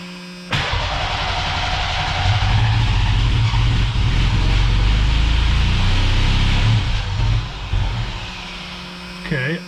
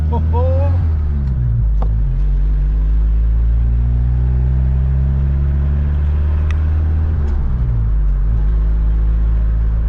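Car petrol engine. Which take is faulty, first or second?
first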